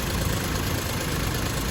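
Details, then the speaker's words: Suzuki Celerio engine after removal, oil sludge cleaning and reinstall; idle after restart. Steady even idle, soft low hum, very quiet underneath, no knocking or ticking; oil splash strong, engine healthy. "Tahimik na tahimik ang under niya."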